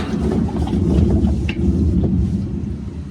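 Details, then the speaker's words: GE washer GTW460ASJ6WW in spin: heavy, steady low roar from failed gearcase bearings, with leaking seal and mode shift code 5; gearcase replacement needed. "That roar is a gear case. GTW460 ASJ6W. It's gear case time."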